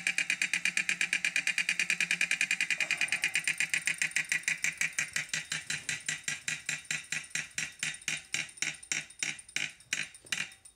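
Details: 2018 Wahoo Kickr trainer after repair with replacement parts (before the repair it loosened and knocked): crisp, even freewheel ticks slowing steadily as the flywheel coasts down, with no knocking.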